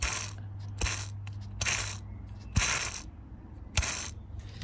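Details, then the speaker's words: Mercedes C63 AMG M156 engine off, belt off: an idler pulley flicked by hand gives repeated hissing, gritty rasps; dry, worn idler bearing. "this one don't like the sound of that one either"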